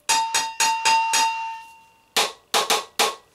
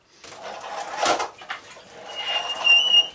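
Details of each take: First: Moped exhaust silencer struck by hand, compared with the MBK Kansas's: quick groups of four or five metal taps, each ringing with a clear sustained tone; silencer sounds open inside, not clogged like the MBK Kansas's, which sounded full of muck. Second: MBK Kansas moped, brakes reported squeaking by the owner, checked before a road test: a short, thin, high-pitched squeak rising as the brake lever is squeezed, over handling noise; brake squeal.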